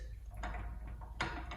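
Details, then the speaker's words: VW Golf R MK7.5 with hub-centric wheel spacers, wheel rocked by hand: a few dull knocks as spacer shifts with slight play on hub; owner suspects spacers cause driving vibration, not confirmed. "i think i'm suspecting that it could be possibly due to my spacers that i have here uh there's a bit of a play there so slight shift"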